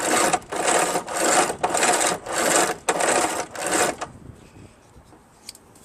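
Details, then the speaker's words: Craftsman 5HP 24" dual-stage snowblower with heavily rusted drive chains and wheels that wouldn't move: a rhythmic rasping clatter about every half second as a stiff kinked rusted link binds going around the small sprocket, worked by hand. "Yep, it's this one right here that's bothering it right there, because when it goes over the smaller cog, right, it has difficulty to go around."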